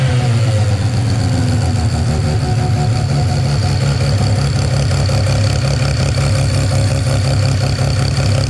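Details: Mazda 13B rotary on EMPI IDA carburetor, after replacing faulty fuel regulator and raising float level just over half a millimetre: no more overfueling or fuel spilling down the boosters; even, steady, smooth idle without stumbling. Normal idle.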